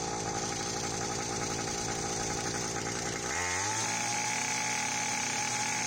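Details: Restored Hawkmoto 49cc two-stroke kids quad, fitted with a new NGK BM6A plug and pull-start cord, case and chain fixed, first outdoor start: crackles at a fast buzz, then drops to a steady, even idle without stumbling; running cleanly.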